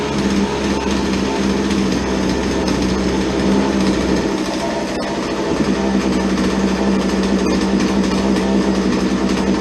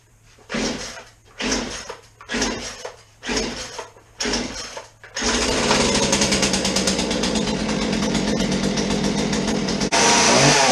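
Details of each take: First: Chainsaw that would not idle, after old fuel was dumped and the air filter was modified and refitted: small two-stroke holds a steady, crisp buzz with an even firing note and no misses, so it is running normally after repair. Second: Chainsaw on fresh 50:1 premium ethanol-free fuel, choke on and chain brake off: several pull-start attempts, then it catches and screams at a constant high speed without dropping; will not idle.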